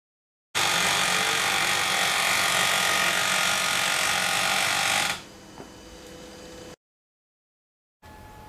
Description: Kyocera km-2550 grinding sound. No waste toner container that causes the grinding sound.